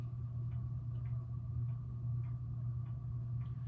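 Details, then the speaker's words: 1987 SMC Laguna (KB36) ceiling fan on low speed: low motor hum with faint uneven ticks about twice a second from its worn, loose bearings, noisy since installation after years of near-constant running. "But without further ado, let's go ahead and start on low speed. You can hear the bearing already."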